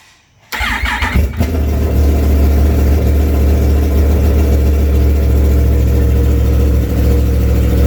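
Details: 2016 Yamaha R1 misfire diagnosis, multimeter back-probed at injector 4: engine catches and settles into an uneven, lumpy beat with a stumble every few turns, a cylinder not firing.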